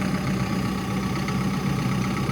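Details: Diesel machine that would not start and had once logged a low rail pressure code, after a fuel filter replacement and priming. It runs at a steady, even idle with a firm low drone and no knocks or misses; normal idle.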